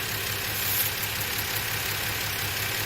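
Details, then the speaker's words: Engine with timing set very high, so it won't restart when hot, during a running compression test. It idles unevenly on five cylinders with a lopsided stumble about twice a second. "that's why we can't start it when the engine's warmed up and hot with a super high timing now right now we're running on five cylinders of course"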